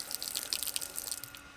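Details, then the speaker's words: Garden tap after fixing its drip, water system repressurized by the pump: steady hiss of flow, then an easy, quick shut-off with no dripping; tap works normally while air purges from the system. "And see, it hardly takes any effort to turn the water off now. It's just purging all the air from the system now."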